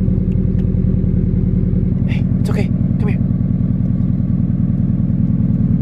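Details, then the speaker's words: Scion FR-S with a failed throw-out bearing, at start-up before clutch and bearing replacement: fast, steady rattle of about three per second over idle from the clutch area; cause suspected, not confirmed. "so yeah you guys heard that right there it sounds so bad honestly um i actually can't wait to get this fixed tomorrow"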